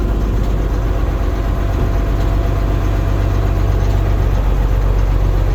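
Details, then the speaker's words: Rusty auction diesel dump truck with about 83,000 miles, at idle: a steady, even rumble with no knocks or misses. It runs and drives extremely well, and the transmission, clutch and dump bed all work. "well i got to tell you it runs extremely well brakes are good steering's good transmission shifts good clutch feels good the dump bed works"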